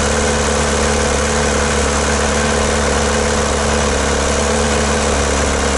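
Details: Old VW MK2 diesel after new fuel return lines, injector pump not working; loud gritty clatter at fixed idle with shaky drone, smoke from exhaust manifold and pipe, won't accelerate; rough idle.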